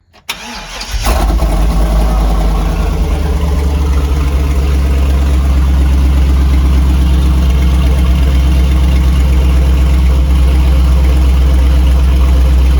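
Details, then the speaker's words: 2004 Chevy box truck V8, started after priming the fuel system following an inexpensive fix. Starter whirr, quick catch, then a deep, even rumble with no stumbling, now firing on all cylinders where the injectors had shown misfiring ones. Normal running. "oh yeah bassive Improvement [Music] that sounds a bit [Music] [Music] healthier"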